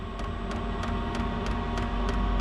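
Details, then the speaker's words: Chinese diesel heater in a shed, still cold after firing off with ether assist, set to level 10–11 and spooling up: sharp even fuel pump ticks about three a second over low steady hum; normal start-up pumping. "that fuel pump's just giving her oh I think she's pushing some Train That's pretty good"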